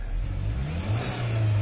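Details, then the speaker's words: 1997 Ford Ranger with hard start and poor fuel pressure (suspected bad check valve), no misfire counts logged: deep uneven low rumble that surges and sags, idling very badly then slightly smoother; rough idle from lean condition. "It is really idling bad. It's a little smoother now."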